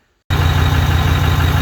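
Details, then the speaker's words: Copart farm truck after refilling antifreeze and oil, running an unknown tune from the previous owner, with exhaust being repaired: catches and settles into a steady, even low rumble with no misfire or knock and no smoke. Normal idle, runs really good. "it's alive there's no smoke just got done with the test run here after i filled up the antifreeze and oil it actually runs really really good"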